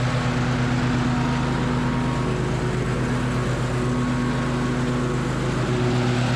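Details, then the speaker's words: Troy-Bilt Horse mower with new deck belt and added idler pulley, deck engaged and fully lowered, testing for vibration; steady even engine drone with constant low deck hum, no knocking or rattling. "We're gonna start up and start that deck and see if we have a lot of vibrations anymore."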